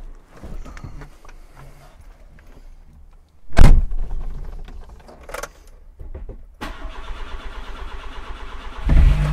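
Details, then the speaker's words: 1991 Rover Metro petrol engine after new HT leads and ignition coil, cold on choke: starts, steady cold fast idle, revs cleanly with no more misfire or stalling. "The engine, of course, is cold, and so we'll need choke, but it's revving smoothly, no more misfiring."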